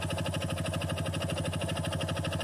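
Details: Honda Biz single-cylinder, engine rebuilt a year ago with Honda-spec parts (20,000 km since), clutch redone under 10,000 km ago: sharp even metallic clatter on every firing pulse at idle; suspected connecting rod or clutch, unconfirmed.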